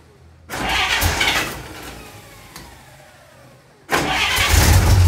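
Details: 1946 Dodge Power Wagon after a tune-up with newly set points, having been hard to start: starter turns over and the engine catches quickly, then a second start fires promptly into a steady run; starts healthy.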